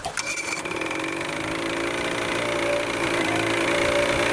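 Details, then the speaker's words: Vintage Evinrude/Johnson 35hp outboard after draining bad gas and setting carburetor adjustment 1 1/4 turns out, cold start after over 24 hours: steady, even idle with fast light rattle, no stumbling or hunting; smooth stable idle. "Now it seems to run like a champ. I'm going to start it out."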